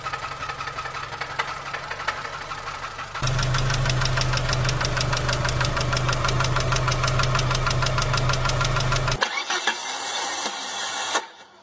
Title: بعض الأصوات غير طبيعية قد تسمعها في سيارتك Some abnormal sounds you may hear in your car